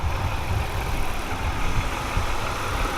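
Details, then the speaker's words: BMW E46 wagon after spark plug change, plugs previously fouled black and fuel suspected in the oil: even, steady low idle rumble with no ticking, knocking or misses; now sounds normal and quiet. "I mean now it's idle a knife maybe it's some kind of mode or something I have no idea try disconnecting the battery I suppose right now its own actually sounds normal right now"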